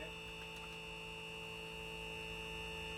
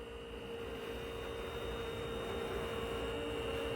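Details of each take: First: Sealine sports cruiser boat trim hydraulic pump, being bled of air with reservoir about halfway: steady electric whine with constant pitch, no sputter or air gurgle, sounding better and getting faster; normal hydraulic pump run. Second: Sealine sports cruiser boat trim hydraulic pump running with reservoir about halfway: steady motor hum with rough, fizzy churning as air in the system slows the ram; air in hydraulic system, sounds better and faster as it purges.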